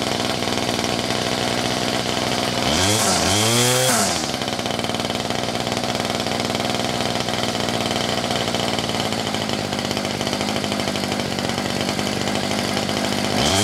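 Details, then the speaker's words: Ryobi 2800R curved-shaft string trimmer, MTD-made two-stroke engine, held flat out warm while the carburetor mixture screw is set for peak revs, then backed out 1/8–1/16 turn; revs dip and surge, then settle high and steady: carburetor mixture adjustment at full throttle. "so what I've done is I've held the throttle wide open and I've turned in the adjustment screw until the engine revved the highest and then just back out 1/8 to 1/16 of a turn and that's where you want it to be set"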